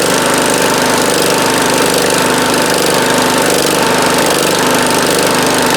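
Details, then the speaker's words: 1971 John Deere 140H3 with a Kohler K321 single-cylinder, after a carburetor rebuild with a new float. Loud, steady, even beat with no misses. Normal running. "Yeah, that sounds pretty good. It was running pretty good at low idle."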